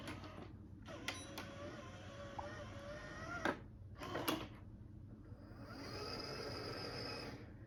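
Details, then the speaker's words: Sony DVP-CX860 DVD changer after repair for C:13:00 error, with the disc rattle fixed by shimming the mechanism: very quiet disc spin with only a few soft mechanism clicks and no rattle; normal quiet playback. "It seems to play anything I throw at it without issue, and you know, it plays discs silently now, as it should. So there's no rattle."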